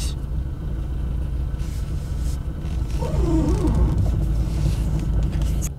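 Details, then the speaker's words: Renault Sandero 2nd-gen 1.6 8-valve: low engine rumble with a wavering squeaky creak as the wheel turns left only, from the suspension rather than the plastic; a worn ball joint, fixed by replacement. "Тем не менее, руль начал скрипеть. И дело не в пластике. Звук исходит откуда-то из подвески."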